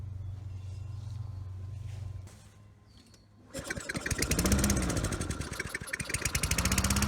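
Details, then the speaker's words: Toro Recycler 20016 mower before carburetor cleaning, smoky with oil in the exhaust: single cylinder fires after a gap, revs surging and sagging about four pulses a second. It runs lean and only with the intake covered; main jet clogged. "Okay, so now we know the engine's good, and the carburetor is not very good. It would only run if I covered the intake to kind of force more fuel into it."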